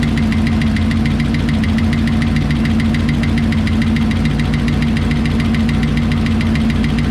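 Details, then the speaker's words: 1968 Lincoln Continental 462 V8 at idle after oil change to Rotella diesel oil: quick, even light top-end ticking over steady low idle, following engine speed; valve tick, cause unconfirmed, may need valve cover removal. "all right it seems to be full now let's see if the ticking subsides if it doesn't we'll take that valve cover back off and take another look at it"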